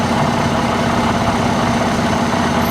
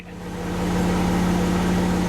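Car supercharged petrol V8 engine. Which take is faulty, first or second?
first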